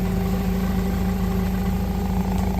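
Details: Toyota 8FGU25 forklift on propane, after oil pressure sending unit replacement: steady, even low hum at idle with no knocks or misses; it runs smoothly and the oil pressure light is out.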